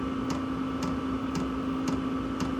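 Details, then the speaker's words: Chinese Vevor diesel workshop heater running a few minutes on a cold 2.1°C day, topped up with diesel after the pump ran fast when low: soft, even clicks about twice a second over a steady hum; normal fuel dosing pump ticking. "just clicking over gently."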